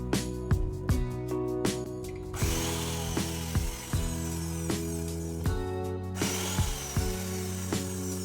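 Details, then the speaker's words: Meat grinder after repair, tested before full reassembly, new gears fitted and greased: motor spins up to a steady drone with light regular gear ticks; running smoothly, normal. "ഇപ്പോൾ പുതിയ ഗിയേഴ്സും നമ്മളത് നല്ലതായിട്ട് ഗ്രീസൊക്കെ ഇട്ട് lubricate ചെയ്തതുകൊണ്ട് എല്ലാം ഇപ്പോൾ സെറ്റാണ്. നല്ല സ്മൂത്തായിട്ടുള്ള വർക്കിംഗ് ആണ് ഇപ്പോൾ."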